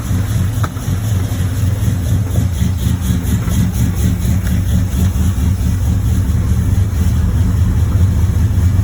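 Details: 1986 Chevrolet Monte Carlo SS, 355 small-block V8, day 2 of driving with a bottom-end knock: idle with a steady, regular deep knock under the exhaust burble. Oil pressure good but below normal. Rod knock.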